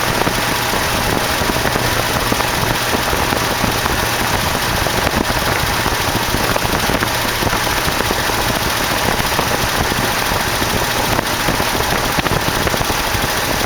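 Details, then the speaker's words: 1968 AMX, original 360 Go Pack swapped to a 401 V8, first start after carb work, fuel leaking: loud ragged uneven idle with fast sharp ticking over exhaust; later found a lifter worn so badly it had a hole in the bottom. "but the motor did fire doesn't seem to be idling very good but at least it fired"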